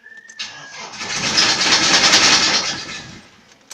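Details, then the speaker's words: Nissan Frontier pickup on start-up: quick rattling knock about three or four a second fading as it settles, happens intermittently, needs several starts; owner suspects dual-mass flywheel, unconfirmed. "Às vezes eu chego com ela, eu vou ligar de novo, ela faz uma bateção, vou ligar aqui ver se ela vai fazer."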